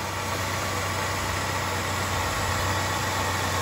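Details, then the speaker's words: GM 4.3 liter V6 with 157,743 miles, after a cold start: steady, even idle with low smooth rumble and no knocks or misses; healthy, runs very well. "Runs very well. And just like my other two roommates, Mark has no plans on getting rid of this thing."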